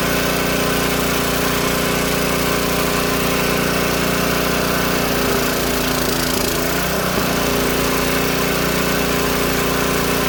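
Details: Old Tecumseh-powered generator revived after years outdoors in rain and snow; steady even petrol drone, no misses or surging; only needs a little carb tuning once warm; outputs 115 V powering a fan; normal running.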